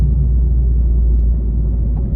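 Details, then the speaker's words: Rebuilt Mini JCW driving at cruising speed: steady low road rumble with no drone or growl; the bearing noise is gone and the car sounds healthy. "The Mini sounds amazing. I can't believe how good it sounds."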